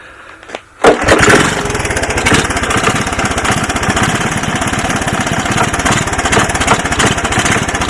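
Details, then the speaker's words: 1981 Honda ATC 185S on first start-up with portable 12 V CDI ignition, new clone carburetor and a plug: single cylinder runs with a rough, uneven thump and clunk, cause not yet found; engine clunk. "did you guys hear that clunking in there she didn't sound very good didn't sound good at all"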